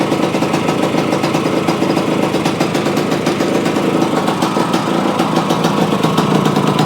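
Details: Yamaha AT-1 to CT-1 conversion two-stroke after carburetor fix and oil pump priming, choke on, premix plus oil pump: fast, crisp ring-ding popping at an even idle with no misses or stumbles; normal idle.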